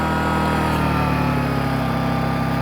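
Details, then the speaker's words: WEN 1250 watt inverter generator in eco mode: steady, even low hum at constant speed with no misses, knocks or surging; normal running. "you can just hear how much that quiets it down. Now I'm going to back up about, say, 15 feet. I mean, you can barely hear the thing."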